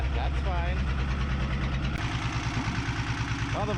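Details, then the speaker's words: 1975 Chevy diesel stepside truck, sat 32 years, second cold start after glow plugs: lumpy, uneven clatter about three beats a second with heavy vibration; number one injector line still bleeding air, engine mounts likely worn. "smoothed out it vibrates a lot when it's cold there but also the number one was still bleeding so yeah I'm sure the engine mounts you know sitting for 30 years that didn't do them any favors"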